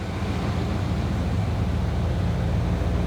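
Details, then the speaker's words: 1979 Chevy Camaro barn find after a decade stored; low even idle after backing off the too-high idle screw half a turn, much better, timing still unchecked. "oh yeah much better it's much much better"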